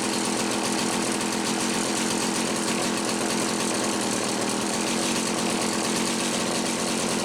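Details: Homelite 360 chainsaw after fixing a misaligned carburetor intake bushing that let air interrupt fuel flow, carb about 1¼ turns out: steady, even high-rev buzz with no stumbling or surging; normal running.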